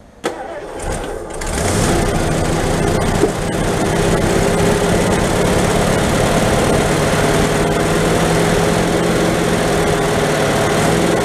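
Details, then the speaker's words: 1970s Lincoln Continental big-block V8 revived after sitting 5–10 years, fuel poured into the carburetor and float bowl: cranks, catches and settles into a fairly even idle; runs only on poured fuel, unclear whether it picks up fuel from the tank. "more of those just just see if it does pull something from the tank and maybe run on its own. Um I can try and fill the actual float bowl on this."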